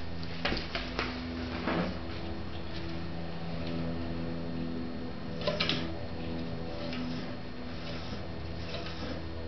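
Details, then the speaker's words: Catrike Trail trike, left Avid BB5 disc brake under light braking: low groaning drone and humming vibration with sharp squealing bursts; right side rolls smoothly, and cleaning the disc with rubbing alcohol did not stop it. "it vibrates a lot can you hear the vibration in the [Music] bike as opposed with the right side where it's rolling smoothly"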